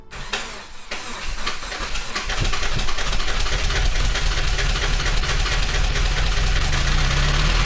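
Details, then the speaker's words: 2015 Subaru WRX FA20DIT turbo engine rebuilt from the shortblock up after being blown: short crank, then catches and settles into a steady idle with no ticking or knocking; sounds healthy, only ABS light on. "yes let's [ __ ] go let's [ __ ] go dude that sounds healthy as [ __ ] boys"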